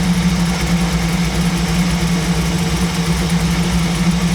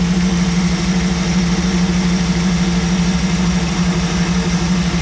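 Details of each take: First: 1937 Buick street rod, new BluePrint 350 V8 crate engine in break-in, off choke with idle raised: low uneven idle around 800-850 rpm, lumpy and slightly stumbling; idle mixture screws found almost fully in, set too lean. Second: 1937 Buick street rod, new BluePrint 350 V8 crate engine in break-in, after setting the lean idle mixture screws to one turn out: steady, even low rumble at about 850 rpm, no misses or knocks; sounds better and runs cleanly.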